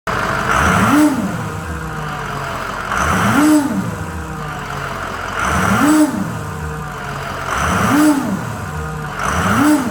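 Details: 6.0 Powerstroke diesel with remanufactured turbo revved in repeated bursts: rising and falling whoosh and whistle from turbocharger failure.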